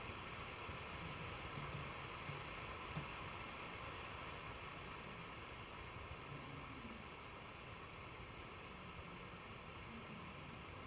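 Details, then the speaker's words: Computer cooling fan ramped to high speed, microphone held near the computer, then dropped back to 4000 rpm: steady even airy whoosh with faint hum, no ticking or grinding; fan plainly audible at high speed. "so let's let that thing ramp up and I'll put the mic near the computer and you can hear it hopefully okay go and grab the mic here now I'm going to drop it back to four thousand"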